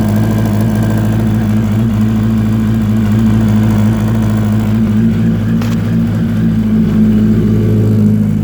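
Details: 2004 Yamaha R1 track day bike, recently started making strange noise from left side of engine at idle, light uneven mechanical clatter; no smoke or power loss; owner wonders if spun bearing or valves.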